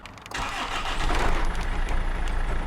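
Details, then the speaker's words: 2005 Land Rover Freelander diesel, before crankcase breather filter replacement and injector/pump cleaning: catches and settles into a low, uneven, lumpy chugging idle; owner notes it chugs when cold with a lot of black smoke; cause unconfirmed. "I don't know if you can hear that through the camera, but it's kind of chugging a little bit. So we're going to hopefully stop that."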